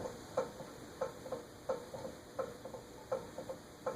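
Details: Eagle Grand Duchess (Eagle Fan Corp 2811) ceiling fan with retractable blades, new in the box with a stiff blade mechanism: light, sharp ticks about every 0.7 seconds with faint clicks between, coming from the motor, not the blades; owner suspects a loose bearing.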